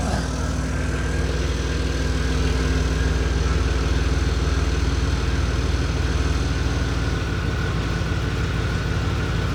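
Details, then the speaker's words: 1994 OBS truck, first start after sitting a week: steady idle with a sharp, regular puffing tick on each pulse; exhaust leak. "Haven't started in a week. Other than that, exhaust leak."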